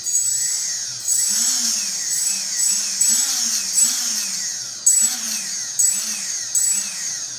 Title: RS2205 screeching noise